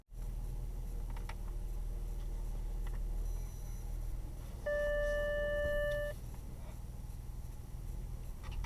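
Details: Kia K7: quiet cabin hum, then one steady mid-pitched beep lasting about 1.5 s with nothing nearby after a person passed; false passenger-side parking sensor warning despite no wall alert.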